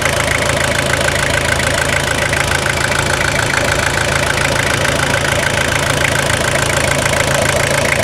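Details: Toyota Hilux SR5 2.8 diesel, 2000/01, after full revitalization service: even, steady diesel clatter at idle with a regular beat around three per second and no knocks or misses; engine healthy.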